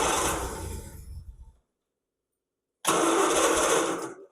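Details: 1969 Triumph Vitesse, first start in about 2 years with new plugs, restart attempt with the choke on: it catches briefly, fades within about 1.5 seconds, then runs briefly again and dies. The throttle cable is frayed and the choke cable clip is missing, so the choke isn't working properly.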